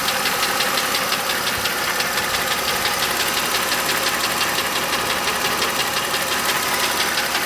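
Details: 2009 Mercedes W203 M272 2.5 L V6, 60,000 km: hard regular knock above steady running, piston slap from scored cylinder coating in the three left-bank cylinders; right bank intact.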